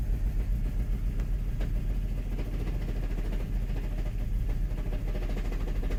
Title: Mk5 gti rough idle cold start after New front and rear PCV